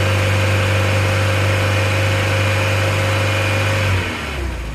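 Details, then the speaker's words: VW Mk2 Golf GTI 16v just started after winter storage, fresh battery; steady four-cylinder idle with slight uneven lope, dropping off near the end, lumpy because it hasn't run for a while. Lumpy idle after long storage. "She's a little bit lumpy, but she hasn't run for a while."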